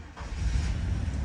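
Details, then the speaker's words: 1989 Chevy K1500 V8 with a new crate engine, idling at a gas station on its first drive: deep, smooth, even rumble, purring with no knocks or misses. Normal idle. "Look at that, dude. Listen to this thing purr."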